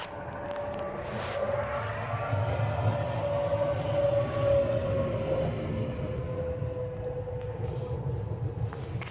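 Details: Cummins 12-valve diesel, rebuilt 0.040 over, balanced, timing about 16°, injection pump replaced ~20k ago; uneven loping idle with stumbles, worsens after driving or revving until it dies; fuel strainer, filter, lift pump, governor springs, overflow valve replaced; cause unknown.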